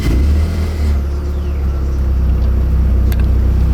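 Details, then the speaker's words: Nissan 240SX S13, restarted a few days after first drive: engine rumbles unevenly after starting with a lumpy, irregular beat before settling, sounded close to not starting; rough running. "That sounded rough. That sounded like it was not about to start."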